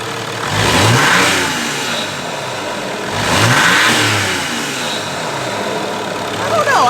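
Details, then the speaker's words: 2005 Mercedes E320 CDI turbo diesel after installing larger billet ball-bearing turbo, stock silencer still fitted: two free revs each swelling into a clean rising whoosh over diesel clatter; turbo maybe slightly louder, spools smoothly—healthy. "the turbo does sound like it's pulling a little bit louder that could be because we don't hear"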